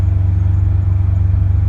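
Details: 2011 Subaru WRX driving under load after fixing a cylinder 1 misfire code thrown under boost, hitting 19 psi boost: deep, even low rumble with a steady beat, no stumbles or pops while pulling; engine running smoothly.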